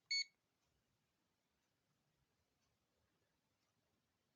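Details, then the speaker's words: Aneng ST181 digital clamp-on multimeter on continuity setting: a single brief high beep, then silence; the continuity buzzer works, though the speaker sounds puny and not loud. "So that's what it sounds like. Not the loudest. Sounds like the speaker is pretty puny. But it works."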